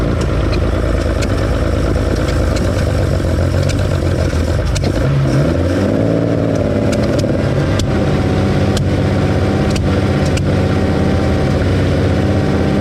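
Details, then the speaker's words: 1972 Ferrari 365GTC/4 V12, running again after a carburetor fault, warming up: steady, even run with a brief rev blip that settles smoothly, no misfire. Minor accelerator pump leak, thought to need new O-rings. "yeah but we're up up and [Music] running"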